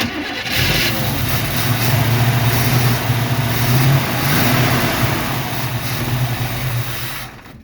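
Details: 1976 Chevy Nova with a 383 V8, first start attempt in about 15 years: steady starter churn at about three and a half turns a second without catching; it may have run out of fuel, not confirmed.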